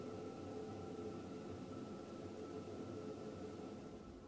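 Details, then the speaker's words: Ideal Logic+ combi boiler, still under warranty, running with a loud steady hum and thin whine over a rough rumble; diagnosed as a faulty gas valve, to be replaced by Ideal. "so we've just diagnosed this now and what we've got on this Bo we've actually got a faulty gas valve"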